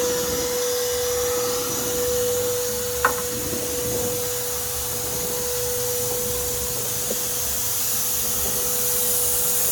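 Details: Vacuum running with steady mid-pitched motor tone and constant airy rush, suspected air leak at the exhaust; cause unconfirmed.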